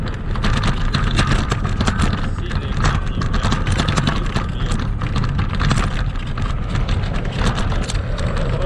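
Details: Kugoo Max Speed Pro electric scooter ridden off-road on sandy terrain, camera on front stem: constant clatter and irregular sharp knocks over every bump with low rolling rumble; front fork and rear shock rattling and squeaking.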